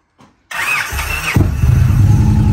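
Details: 2014 Victory Cross Country V-twin, nearly 70k miles, first cold start since November storage: short crank with fuel pump whine, catches at once into steady, even idle; normal cold start.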